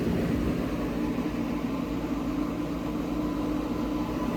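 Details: Refurbished 1970 Gibson Air Sweep window air conditioner on high cool, with the compressor running: a steady, even hum with an airy fan rush and no knocks or rattles; it is running cleanly.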